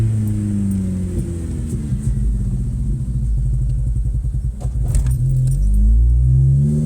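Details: Ford Focus MK2.5 at full throttle: engine sags and stumbles, nearly stalling, then slowly recovers; misfire with code P0336 crankshaft position sensor range error, E196 invalid engine RPM data, speedometer dropping out, often above 5k rpm.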